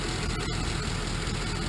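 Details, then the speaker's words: 1951 Ford COE truck converted to natural gas, at idle under the raised cab: steady low idle with a light, quick, diesel-like ticking from the gas injectors; normal injector clicking. "you can kind of hear it clicking kind of sounds like a diesel that's actually these injectors right now those injectors are clicking away given feeding the motor natural natural gas"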